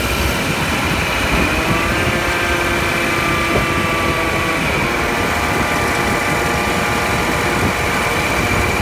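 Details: 2013 Subaru Outback on a short drive: steady rough grinding with faint whining tones shifting with speed, recorded at the right front axle where it enters the differential/transmission; owner unsure of the cause.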